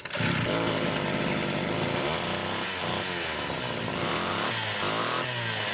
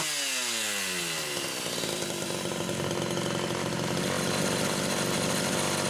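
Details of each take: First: Rebuilt Homelite Super XL SDC carburetor test-run on a known-good test saw with a Phelon electronic coil: at full throttle it burbles and four-strokes unevenly instead of screaming clean; rich on the high-speed side. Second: Homelite Super XL chainsaw test-running carburetor number 2 after its Welch plug was replaced; both mixture screws had been over 3.5 turns open. Revs climb smoothly in under two seconds, then hold a steady, clean high scream without burbling or hunting. Judged good.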